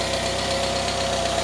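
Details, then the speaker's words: Citroën C25 camper engine after ignition work and a choke adjustment: even, regular firing pulses at idle, no stumble or miss. The earlier misfire was probably due to ignition components; now a healthy idle. "it sounds perfect I was correct it was the ignition components probably the the coils or the wires and the uh and the actual spark"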